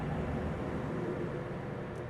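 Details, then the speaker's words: Samsung bottom-freezer refrigerator fresh-food compartment squirrel-cage evaporator fan, removed and bench-powered at 120 V AC, about 160 ohms resistance: soft, steady whir with no ticks, rubbing or wobble; fan good, so a fault would be the control board relays; normal fan motor running. "Now our fan's getting 120 volts. And we can hear it spinning. Just a little squirrel fan."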